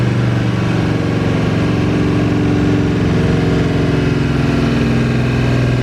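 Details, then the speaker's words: 1982 Chevy G20 3/4-ton van, 350 small-block V8 with a new cam, heads, intake, carb and headers, just after cam break-in cycling between 3000 and 2200 rpm: a deep, even, loping idle with a steady burble and no ticks or knocks; healthy. "All lobes have survived this ordeal. The engine's got some snap to it. Got a really healthy lope at idle."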